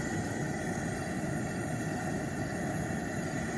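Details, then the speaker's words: Older gas pressure camp stove on a Stansport propane converter, burner lit: steady even hissing roar, gas heard regulated down and back up, no sputter or flutter; normal burner flame roar. "You know, it's it's very unfortunate that it's so bright, but you can hear like I'm going to turn this down. You can hear the sound of the gas literally being regulated down and back up."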